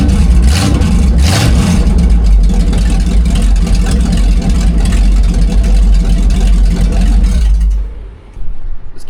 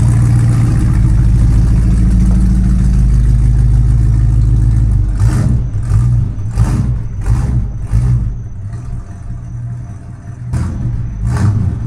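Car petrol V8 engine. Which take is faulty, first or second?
first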